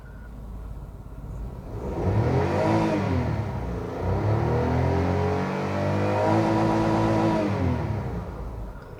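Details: Toyota 1KR petrol engine after fixing misfire with code P0353: revs up twice and settles back smoothly, even firing, no stumble.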